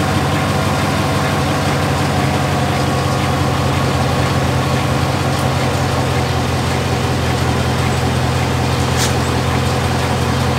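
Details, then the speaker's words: 2017 Chevrolet Silverado 5.3L V8, 88k miles, idling after brake vacuum pump replacement (found as source of loud ticking, worse cold, driver-side fender well): smooth deep rumble with only faint light ticking, much quieter than before. "so i am happy with the replacement the truck is definitely not ticking nearly as loud"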